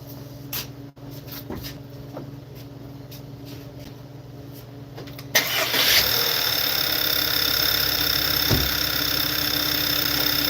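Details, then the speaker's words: Engine cranks and catches into a loud, slightly uneven idle; it misfires because a fuel leak stops pressure reaching the number one and two injectors. "and it's leaking fuel right there so we're going to start it up again cuz we catch the leak and that why it's misfiring because the pressure not getting to go to number one and two injector"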